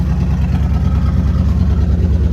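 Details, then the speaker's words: 1965 Ford Thunderbird V8 revived after long sitting, ATF in cylinders, smoking heavily from rear: deep steady burble with even beat and no knocks or misses; normal running. "smoking out a whole trunk area it's awesome I can't believe this thing runs so well wow"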